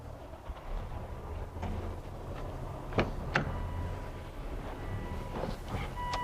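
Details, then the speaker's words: 2004 Volvo S60 idling after a tune-up with new spark plugs and ignition coils. It had a really bad misfire before. Now a low, even hum with no stumbles: smooth, quiet and healthy. "Cool. All right, it's running really good. When the car first came in, it had a really bad misfire. But now it's running smooth as can be. Sounds good, nice and quiet."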